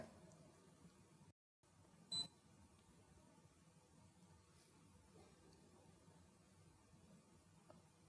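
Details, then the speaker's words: Fluke ScopeMeter 120B-series (125B) in recorder mode: voltage raised beyond the ±10% threshold gives one brief high beep in a quiet room, the meter flagging a threshold event. "so let's do that first for the voltage will increase the voltage until we go beyond the threshold now once you pass the threshold you'll hear a beep"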